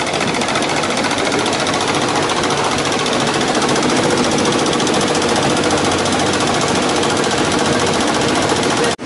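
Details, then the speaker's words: 1959 IBM 729 vacuum-column 7-track tape drive with read and write errors, traced to worn slip-ring brush blocks on the clutches. Loud, fast, uneven chatter of the capstan starting and stopping and the reels hunting while reading and writing; normal operation. "intenant que nous lisons et écrivons, vous pouvez entendre le bruit du cabestan qui démarre et s'arrête."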